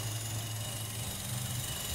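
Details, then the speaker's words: GM 1.4 turbo petrol (Cruze/Sonic/Trax/Encore) idling with check engine light on: low, slightly uneven surging drone and engine shaking, from the failed PCV valve inside the intake manifold letting air in (vacuum leak). "You'll notice it's surging a little bit. Actually, let me turn it off so you can hear it. And you can see it moving, all right? And then, you can see the engine shaking. Hear it surging."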